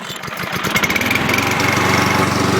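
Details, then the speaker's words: 2011 Lawn-Boy self-propelled mower, under a year old, serviced after improper storage, started after cooling since an earlier run that day; single pull catches at once into a quick, even single-cylinder patter with no misses, healthy. "I hate these brakes, by the way, and turn her over. See if it starts up first pull."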